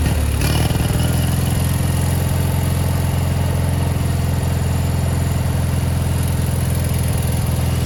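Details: 1987 Gravely Professional 18G riding mower, Kohler Magnum 18 engine with OEM 35-year-old carburetor; lumpy uneven beat hunting up and down as the carburetor linkage moves without the throttle lever being touched; engine surging, carburetor said to be out of adjustment.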